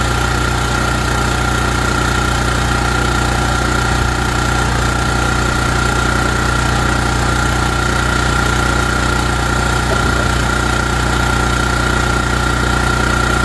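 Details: ETQ3000 portable generator that previously wouldn't run, after service, started on choke and left to run out of fuel: a constant, even drone at steady speed with no hunting, misfires or knocks. It is running healthy.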